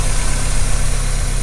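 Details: Mazda Miata, running after its first start in over a year; engine bay checked as fine so far. Deep, steady idle with an even low drone, no misses, knocks or ticking. A normal idle.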